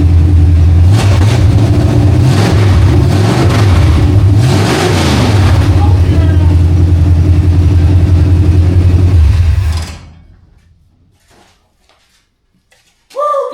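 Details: 1968 Mustang V8 on long tube headers, fired with a jumper for a coil power wire fault (power only in crank): loud, lumpy rumble rising and falling with revs, even firing, then clean shutoff; healthy, normal running.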